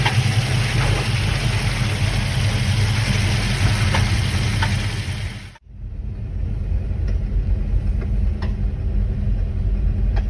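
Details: 1979 Camaro Z28 with a McLeod Super Street Pro clutch installed in 2017, idling; faint, irregular squeaks and ticks from the clutch area only while the pedal is pressed, traced to a greased pilot bearing.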